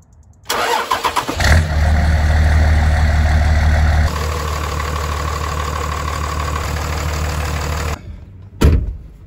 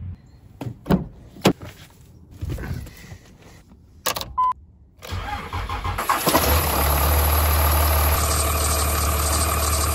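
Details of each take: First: 2003 Dodge Ram 3500 Cummins 5.9L diesel after replacing serpentine belt and tensioner pulley: brief crank, quick start, steady deep idle with no belt squeal; normal start and idle after repair. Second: 2003 Dodge Ram 3500 Cummins 5.9L diesel starts and idles with a steady high squeal over the clatter; the serpentine belt squeal comes from either a bad bearing or belt-to-pulley friction.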